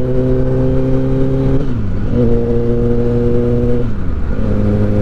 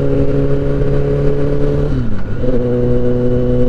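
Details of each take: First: Repaired, previously crashed 2023 Kawasaki ZX10R on its first road test: clean, steady engine note, revs dipping and recovering smoothly; the slight resonance heard just below 4000 rpm is gone, and it runs normally. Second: 2023 Kawasaki ZX-10R, repaired after an accident, on its first road test: steady engine drone that dips and climbs with revs, booming resonance just under 4000 rpm, clearing at other revs; cause unknown.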